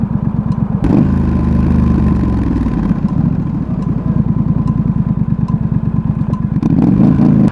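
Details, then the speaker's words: Triumph Street Scrambler twin idling hot: quick, regular ticking from the top of the engine with two throttle blips, starting loud, speeding up and fading away; intermittent, mostly when very hot or after hard riding, cause unknown. "Coming from the top one. Speeds up. And goes away. Weird. Seems to only happen when it's hot."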